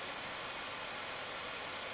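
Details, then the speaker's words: Dell XPS 2-in-1 9575 laptop fans at full (100%) speed, recorded without microphone gain control: steady airy rushing hiss, no rattle, scrape or pulsing; normal, healthy fan noise. "the fans at full volume feel free to skip to the beginning of this video and hear the difference"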